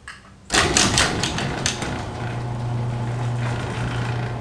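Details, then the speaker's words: LiftMaster 3280 garage door opener closing after lowering the motor unit and angle iron: one crunch, then steady motor hum with only mild trolley rattle, a noticeable improvement. "still sound but it's not as rattling so that is I think that is an improvement it's it's noticeable"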